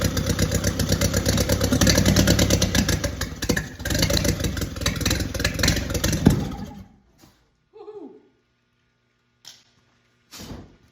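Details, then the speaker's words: Original WWII Willys Go Devil engine, first start after decades, cranked by a 12V starter with an oil pressure gauge fitted. Ragged, uneven firing for about seven seconds with a sharp backfire pop, then weak coughs: a sputtering start with backfire. "A little bit of a backfire, burn a little bit of hair, but I'm tickled pink. That's what I wanted right there."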